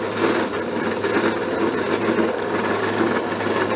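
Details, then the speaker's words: Abene mill cutting a slot in a broach bushing at its slowest table feed, third pass: harsh, scraping cut with loose, uneven chatter about once a second; owner suspects the cutter isn't as sharp as thought. "well slower way down but i'm still getting some chatter i said this cutter may not be as sharp as i thought it was we had to go to plan b here sounds awful like i said it sounds painful but i'm getting through it"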